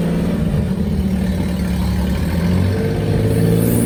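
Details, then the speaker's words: Daihatsu Hijet pickup three-cylinder, revived after sitting 5–6 years in a barn, driven out of the garage: steady, even low putter with no knocks, misses or surges; idles and pulls smoothly, running fine. "we finally got her out of the garage as you can hear she's running fine"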